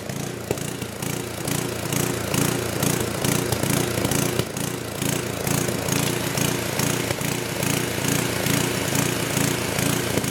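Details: Old 10hp gasoline generator converted to propane/LPG using only the regulator of a cheap eBay aftermarket carb kit, choke open; pulsing run rising and falling about twice a second with occasional sharp pops (hunting); owner suspects it isn't drawing enough fuel, unconfirmed.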